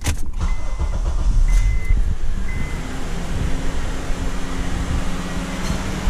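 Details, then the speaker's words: 2003–2007 Honda Accord with the AC not working, engine running with AC on after reconnecting a connector: a soft, even hum rises over the steady engine as the AC compressor clutch engages and runs normally. "you hear that ac compressor engaged this line will get cold"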